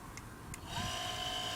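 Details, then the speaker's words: Electric chair tilt motor on back of the chair, after reassembly: a couple of light ticks, then a steady even high whine with no grinding, slow but powerful; the tilt drive runs normally. "as far as the motor on the back of the chair to tilt the chair goes if I switch into that mode and then try and move it initially it there's nothing when I try to gain now we can move the chair"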